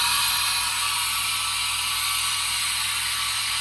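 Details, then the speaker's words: Older Haas VF1 CNC mill with gearbox issue, empty carousel tool change at 5% rapid; steady whirring with light ratcheting clicks as carousel indexes, no grinding or clunks; tool change smooth. "So, tool change looks nice and smooth."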